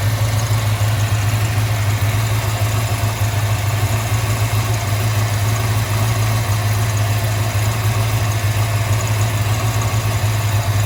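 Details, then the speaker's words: 1995 Impala SS with Blueprint crate LT1 355 and LT4 Hot Cam, idling after exhaust leaks repaired: deep V8 drone with a loping lumpy-cam pulse, normal. "Okay, back from the exhaust shop. It sounds so much better."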